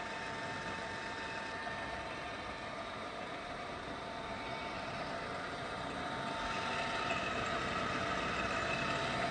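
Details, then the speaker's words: Csepel RF 50/1250 radial drilling machine (hydraulic clamping, MT4 spindle) at maximum spindle speed of 2000 RPM: steady even hum with a faint high whine and no knocking, grinding or rattle; the spindle runs silently and normally. "as we can hear that is no extra noise from the spindle even at its high RPM also the spindle is completely silent there is no major noise or any extra noise from the spindle even at its high RPM also"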